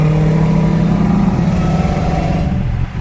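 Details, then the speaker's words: Dodge Charger SRT Hellcat, owned two weeks, pressing the gas: revs stay flat and labouring with rough, uneven pulsing and popping, and the engine won't pull. Owner believes the engine is blown, unconfirmed. "I mean, it will eventually get up there, but not going anywhere anytime soon."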